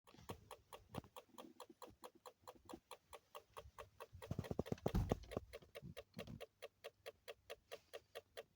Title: alphard ticking noise